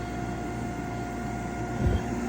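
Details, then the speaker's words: Furnace after replacing a bad inducer motor; steady inducer hum, igniter, then a soft gas valve click and low whoosh as burners light; normal ignition sequence. "You can actually hear the valve gas valve click a little bit. Click. Flames open. And there's gas."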